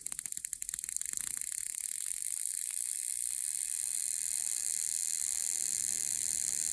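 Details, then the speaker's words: Homebuilt Tesla-style HF high-voltage generator (neon sign transformer, capacitors, tube spark gap) as input voltage is raised: rapid crackling snaps settling into a buzzing sizzle; uneven breaking because the first two gap tubes are not parallel. "remember what I was saying earlier, how if you don't adjust them carefully and get them parallel, you won't get very good braking. I can see, just because of the way that this top one is braking, that these first two tubes are not parallel with each other."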